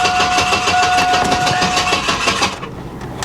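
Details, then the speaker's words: Salvage auction car: starter cranks in a rough, steady chug about three turns a second, engine never fires; tank completely out of gas and no fuel pump heard, cause not confirmed. "I'm also noticing it's completely out of gas. I don't hear a fuel pump either. Boy, that starter sounds rough."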